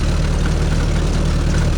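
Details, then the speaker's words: 1932 Ford roadster, Model B 4-cylinder flathead with Super Winfield head, dual Stromberg 81s on Evans intake, not warmed up, January day: lumpy, uneven, slightly stumbling running because the carburetors are out of adjustment. Rough running from carburetors out of adjustment. "Like I say, the carburetors are a little bit out right now, so it's a little rougher than what it ought to be."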